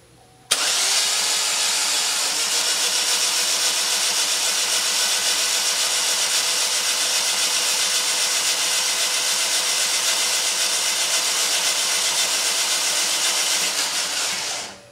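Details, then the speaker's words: GMC Terrain 2.4L Ecotec after timing chain replacement, oil priming rollover with all spark plugs out and coil packs disconnected; fuel pump was left connected by mistake. About 14 seconds of fast, light, airy whirring with no compression beats; cranking without spark plugs. "So we got all the spark plugs out and all the coil packs are disconnected. We're going to roll the engine over, say for 15 seconds or so, to get that oil circulated up through the engine."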